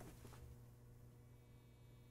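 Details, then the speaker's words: 135 W Fender tube amplifier during signal tracing, driven with no speaker load: steady low hum with a thin singing tone as the output transformer rings with considerable amplitude while master volume is turned up before phase-inverter check. "the audio transformer making noise right there's quite a bit of amplitude there"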